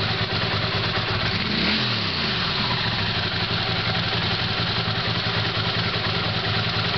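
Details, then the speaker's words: Honda CX500 motorcycle with newly made carburetors and new thermostat (slight housing vibration, should settle); slow, steady idle with even beat, no misses, knocks or hunting: normal idle. "that's what i want to hear slowly running"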